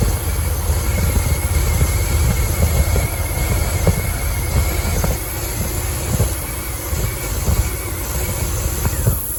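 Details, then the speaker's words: 2006 Dodge Ram 1500 Mega Cab after a fuel pump replacement that didn't fix it: uneven, lumpy running with irregular thumps and stumbles. Unplugging a coil kills it, and the owner suspects a wiring short; cause not found. "Running like crap right now. Thought maybe if I pulled the light away I could see. Yeah, it's running like crap. You guys can hear how bad it is."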